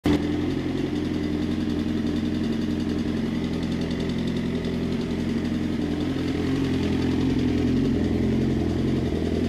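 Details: Suzuki GSX-R motorcycle at idle with a light, quick tick over the exhaust beat that disappears at 2500 rpm. Resetting the cam chain tensioner stopped it for five minutes before it returned; owner considers a timing chain or manual tensioner.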